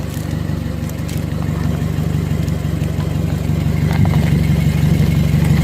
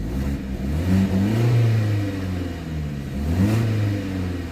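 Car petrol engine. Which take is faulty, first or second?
first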